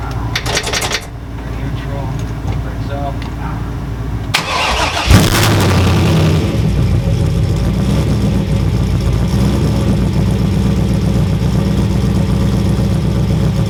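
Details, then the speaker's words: 6.0L V8 Trans Am build first run with muffler: catches after short crank, settles into steady deep V8 idle, takes throttle blips without stumble; stayed cool, heater hot, about 60 psi oil pressure; normal start and idle. "It ran really freaking good actually, like I could give it little blips of throttle and it wouldn't stumble or anything."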